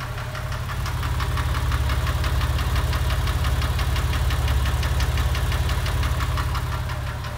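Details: Porsche 996 3.4: steady ticking at warm idle, three or four per second, absent on cold start, intermittent, fading above about 2500 rpm, louder under load; recorded in garage; owner suspects exhaust manifold, tappet or piston slap.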